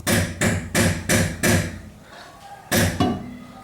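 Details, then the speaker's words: 2010 VW Fox suspension noise: seven sharp, rattly metallic knocks as the stabilizer links (tie rods) are struck, revealing play in a loose link. "agora Olha aqui quando eu batti nos tirantes ó percebem a um barulho metálico"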